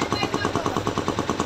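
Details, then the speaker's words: Bajaj Pulsar 125 BS6: quick, regular phat-phat popping, about ten a second, as the throttle closes; it is masked at full throttle. The air filter was checked and is clear. Cause is a torn intake pipe leaking air, audible on deceleration. "Fat father सी आवाज़ जिस तरीके से हमारा एक housewife अगर cut जाता है या हम एयर फिल्टर निकल देते हैं जैसा आवाज़ करता है उसी तरीके से हम इसका आवाज़ है"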